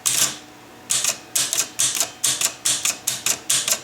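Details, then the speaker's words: Chicago Coin Blue Max electro-mechanical pinball with score wheels that don't all reset to zero, a score wheel activated by hand gives sharp clacks in uneven bursts with a stall; sticking score wheel. "We can manually activate them by, you can see this one having a little bit of a sticking problem."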